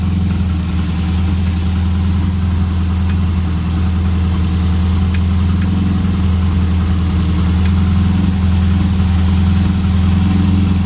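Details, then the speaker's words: Elva Courier Mark III race car barn find, first start after sitting: deep, steady idle with even low rumble and no knocks or misses, running smoothly. "but runs sounds pretty neat"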